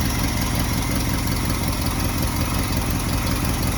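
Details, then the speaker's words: Barn-find 1966 Ford F100 idling after a new OEM-style under-dash wiring harness was fitted, its first run in months: steady, even low rumble at about three pulses a second with no misses or knocks; runs smoothly. "We got it running again, so pretty excited about that. It hasn't been running for months. We didn't want to do anything with that bad harness, but he's in here idling."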